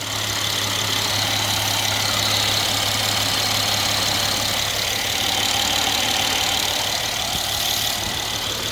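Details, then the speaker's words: 2015 Mercedes ML 400 with 171,465 km, warm above 80°C, during a check for a customer complaint of lagging power. Steady low idle hum with a constant airy hiss and no knock; the engine sounds fine. "It sounds good. So, doesn't sound bad."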